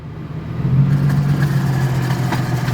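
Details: 1975 Toyota Celica with a swapped 3SGE BEAMS engine: even low hum at idle with nothing grinding or squealing, running cleanly with the AC off and no compressor noise. The AC compressor, when engaged, seized and killed the engine.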